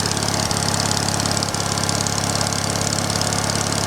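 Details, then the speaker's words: Old small engine (same as on a big wheel), likes choke, started after long sitting: steady idle with occasional dropped beat roughly once a second, slight intermittent misfire. "a little bit of a misfire in there"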